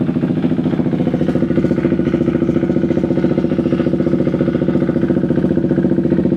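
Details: KTM Duke 390 V2 single, after tapping the stuck fuel pump back to life: crisp steady even thump, no stumbling, no longer stalls, starts on one click; battery 13.6 V; normal idle.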